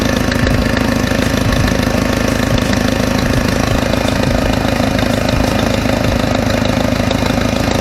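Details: Mercedes W202 idling just after a stainless steel header install: loud steady idle with a sharp, rapid puffing tick in time with firing, from exhaust escaping, suspected to be a cracked header gasket.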